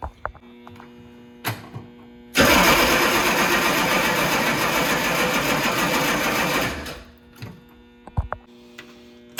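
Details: Humvee diesel after fuel filter change, batteries getting weak: about four seconds of steady rapid starter cranking that stops without catching, fuel filter canister not yet refilled; engine later starts and runs.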